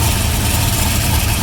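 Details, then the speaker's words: Engine that previously wiped its thrust bearing, at warm idle: raspy, chuffing exhaust leak with valvetrain/rocker arm noise; the earlier bad noise is gone, but thrust bearing still to be checked. "and uh you can hear the exhaust leak"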